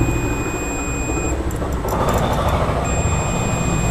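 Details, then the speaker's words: Motorcycle self-starter motor after carbon brush replacement, multimeter on buzzer mode with probes on the new brush and its lead end: steady high-pitched continuity beep cutting in and out as probes touch, confirming good brush contact. "അപ്പോൾ beep sound കേൾക്കുന്നത് കാണാം. അപ്പോൾ ഈ contact സെയിമാണ്."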